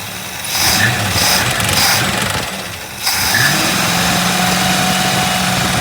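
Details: 1965 Mustang coupe V8 after the carburetor was rebuilt, no longer flooding over; the fan is hitting the shroud, which still needs adjusting. A burst of revving, then a steady, even idle with no stumbling or loading up.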